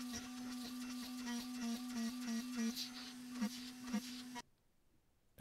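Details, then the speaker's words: AvidCNC Benchtop Pro 2x3 router, CNCDepot S30C spindle, Fogbuster, milling steel at lower surface footage: steady mid-pitched spindle hum with an even cutting buzz and small chatter bursts; acceptable cut, better tool life expected. "I don't think this one sounds much better or worse than the first one but with a lower surface footage it's closer to where we should be in steel so we can probably expect to life to be better"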